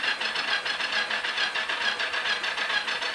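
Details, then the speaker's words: 1983 Yamaha XZ550RK Vision cranked by jumping the solenoid: a steady chug about two pulses a second that never catches. Possibly no spark, compression felt; a dirty switch and weak battery are suspected. "no spark but I may have a no spark so I have a I got to clean my switch up there let's try this again this is turned over I'm trying to get my finger in it see if I get feels like it has some compression turns over I need a stronger battery"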